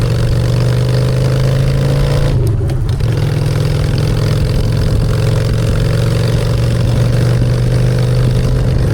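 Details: Honda Shadow V-twin with new custom exhaust pipes, in neutral: steady low rumble with a brief throttle blip, no knocks or rattles; normal healthy idle and revving.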